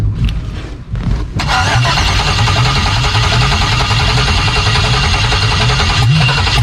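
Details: Bronco II crawler with a newly swapped 2005 5.3 LS V8 and Turbo 350 transmission, cold start with no exhaust: a quick crank, then a loud, deep, steady rumble with a raw rasp through open manifolds; normal cold start.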